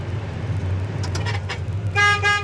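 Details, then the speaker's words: Restored 1967 Chevrolet Chevelle SS, 396 four-barrel replacement block, 4-speed, dual exhaust, idling during interior check: two short, clear, steady-pitched horn honks over low engine hum; horn works properly. "horn works, gas gauge works, the wiper switch works."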